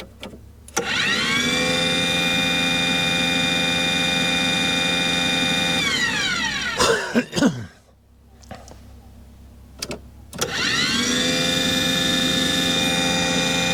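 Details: Aquahot 400D RV diesel boiler: the burner fan motor spins up to a steady hum, shuts off and restarts with no flame rumble or smoke. Warm air comes from the exhaust with no raw fuel smell. Not lighting.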